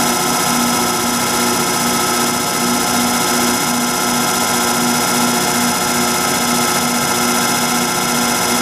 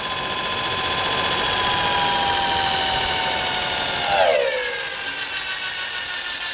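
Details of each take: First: Rotary phase converter (240 V three-phase) with bad bearings starting to run an antique Allis-Chalmers 10 HP electric motor after shaft repair: steady electric hum with a rough, hissy whir from the worn converter bearings. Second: Antique Allis-Chalmers 10 HP electric motor after shaft, keyway and bushing repair, first run on 110 V with a capacitor bank: a steady high whine that drops sharply in pitch as switching the capacitor back in brakes the motor to a stop.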